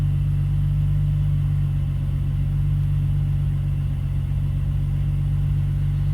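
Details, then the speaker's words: BMW E46 idling after the rattling eBay exhaust headers were fixed, a leaky fuel injector replaced and the idle control valve deleted; smooth exhaust note with no rattles or ticks. "All right, we've got everything put back together, so let's start it up and see if the exhaust still rattles. Cross your fingers. I don't hear any rattles. That's a good thing."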